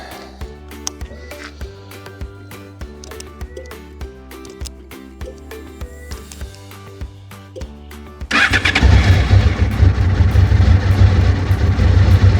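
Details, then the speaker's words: Crashed Honda VFR 800Fi 5th gen, first test run after fixes: over background music, engine catches at once and settles into a strong, even run without stumbling; normal easy start. "It's a easy start motorcycle."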